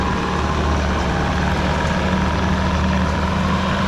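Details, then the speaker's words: Bobcat T650 skid steer test drive after track repair: steady low diesel drone with smooth, even track running and no screeching (previously screeched badly); undercarriage sounds healthy, track tension then rechecked. "That sounds nice."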